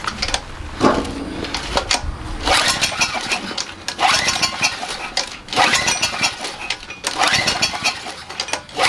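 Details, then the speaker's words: Generac 3000 watt generator with Enduro OHV engine, spark present, extra gas added: repeated pull-starts each give a brief sputtering catch that dies; plug found wet, owner suspects excessive valve clearance. Cranks and fires but won't start. "sounds like it wants to go why won't you just start it did sound like it right I'm not crazy"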